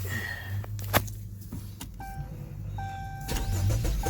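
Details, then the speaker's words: Chrysler 200 with previous no-crank/no-start, battery at only 8.7 V, cranked with a good external voltage supply: short whirring crank, then catches and settles into steady idle; healthy start, battery needs replacing. "Yep, cranked up, and I am running."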